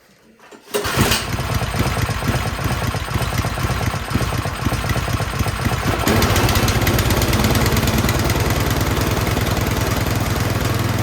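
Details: Troy-Bilt 24-inch snowblower after a new spark plug. It runs on choke, but once the choke is off it surges with a fast, uneven swelling beat. Carburetor suspected of running rich; it was cleaned afterwards.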